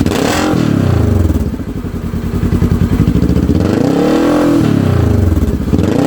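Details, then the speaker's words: 2015 Polaris RZR 900 S with a newly installed RZR 900XP exhaust: deep burble at idle and clean rising and falling revs, no misfire or knock; sounds healthy. "i like it sounds good"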